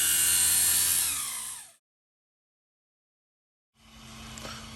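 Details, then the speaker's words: RC drift car after replacing a bad gear and moving the electric motor to the top mount: high electric whine spins up and winds down smoothly, no grinding or clicking; motor and gears running clean. "So now that everything hooked up, let's turn it on. Connect it. Let's see if it'll run with the new motor moved on top."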